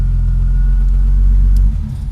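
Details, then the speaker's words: 2002 BMW 325i E46 cranking but not starting: with 12 volts fed by probe to the ignition switch wire, the engine catches and runs with a steady even rumble, then stalls when power is released; faulty ignition switch. "now i'm going to crank the engine and there you go the car starts the car starts"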